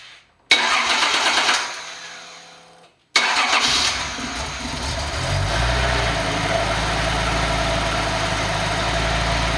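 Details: Nissan 280ZX turbo engine on a test stand, started on the existing ECU to confirm the setup works: brief crank, catches and settles into a steady even low idle with no knocks or misses; normal start and idle.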